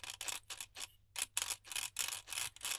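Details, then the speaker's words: Gritty rasping as ring-and-pinion gears of a 2025 Genius GTC8E differential are turned by hand after tightening both bearings; gears bind and don't fall freely because the gear mesh is set too tight, so it must be reopened. "là ça fait du bruit et puis ça tombe pas librement. Là c'est le cas typique de j'ai le l'entre dent qui est trop bloquée comme ça et les dents bah elles forcent."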